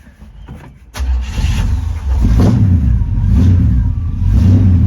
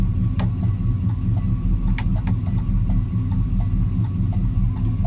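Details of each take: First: 1972 Chevy C10 with a 350 V8 and 3-speed automatic, not run in years, started via the starter with vise grips: short crank, then it catches and surges roughly before dying, running only on fuel left in the carburetor bowl. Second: 1972 Chevy C10 350 V8 with dual exhaust, running after years off, revved after refuelling: deep, steady burble with even beat, no misses or knocks; slight smoke, owner suspects slightly sticky rings.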